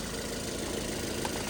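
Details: 2012 Toyota Yaris at idle with no electrical load (headlights and AC off), after the belt was adjusted to stop a squeak, for a battery-dying complaint: steady, smooth low hum with no belt squeal or chirp. Charging 14.1 V, healthy.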